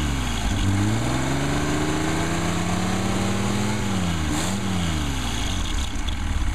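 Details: Rebuilt 220S engine started from cold at ambient temperature, 90–100 psi oil pressure: steady, even idle with one quick throttle blip that settles straight back. Smooth firing, no ticks or misses; a healthy engine.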